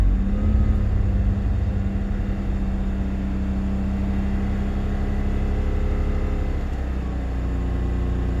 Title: BMW Z3 2.2i M54 misfire emissions check